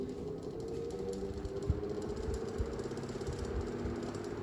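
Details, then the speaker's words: 1950s Frost 12-inch desk fan that needs a clean, with a loose centre cap rattling: a faint hum and uneven rattle as the motor labours before finally reaching proper speed. It gives a decent breeze, weaker than the other fan. "There we go. Proper speed. It's not too bad of a game mover."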